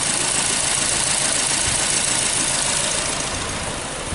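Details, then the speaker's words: Nissan Versa brought in for battery drain, idling; rough, lumpy idle with stumble about three per second, misfire, no secondary ignition waveform from cylinder 1 while 2–4 show signal; coil suspected, not confirmed. "So you hear the vehicle misfiring."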